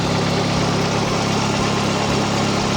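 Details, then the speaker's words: Nissan 240SX with SR20 swap, idling after GTX2860 dual ball bearing turbo upgrade, 850cc injectors, Z32 MAF, FMIC, 340lph pump and new ECU; even, steady idle with regular low pulse, no misses, hunting or ticking; small audible exhaust leak. "all right so it sounds really good idle is like on point I don't see any leaks I don't smell"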